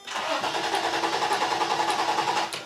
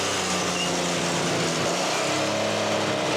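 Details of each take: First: 1990/1991 Toyota 4Runner that sat nearly 10 years: steady starter whir turning the engine over evenly for a few seconds without catching; engine not seized, seems to build compression, spark present, starter likely fine. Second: 1991 Toyota 4Runner restarted after nearly 10 years sitting, new fuel filter; engine catches and holds a steady, even fast idle outdoors, running normally; some smoke seen, apparently oil burning off the exhaust header.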